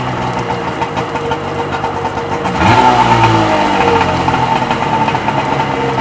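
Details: Freshly rebuilt Seadoo XP 720 two-stroke on its first heat cycle, warm, driveline disconnected and run on the hose in the driveway; a crisp buzz that idles and revs cleanly with no misses or rattles, so it sounds healthy.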